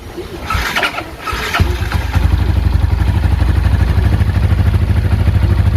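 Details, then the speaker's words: Yamaha Exciter/Y15ZR after a workshop service with a TPS fitted, before dyno: short crank, catches cleanly and settles to an even, low, steady idle without misses; healthy start. "Okey, motor dah ready. Dah hidup dah."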